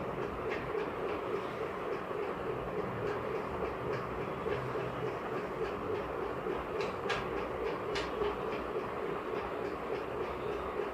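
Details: Running ceiling fan with a steady hum and loose, uneven clicking about three times a second from a worn bearing.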